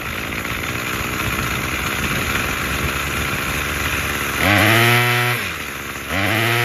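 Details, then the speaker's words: Craftsman 27cc curved-shaft string trimmer 316.711170 after repair with new recoil assembly, fuel filter and fuel line, on fresh fuel: buzzy rough idle, then two clean throttle blips rising and falling without bogging; fully functioning. "all right good deal all right guys well that does it for this one we got a fully functioning trimmer"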